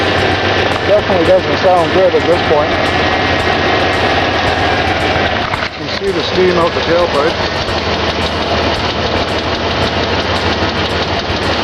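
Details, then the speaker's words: Dodge at 190,000 km losing antifreeze through the cylinders out the tailpipe, before K-Seal treatment: uneven lumpy idle, loose irregular beat, rushing exhaust; suspected head gasket leak, code-supported but unconfirmed. "s been losing some antifreeze through the cylinders via of the tailpipe it's running rough needless to say we believe it's a head gasket week"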